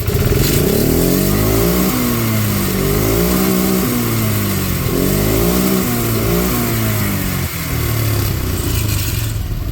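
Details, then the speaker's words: John Deere ATV after the carb was cleaned and reinstalled, idle taken to full throttle to see if it chokes out: revs rise cleanly and fall back several times without stumbling or bogging; runs as it should again. "That sounds like it's supposed to again."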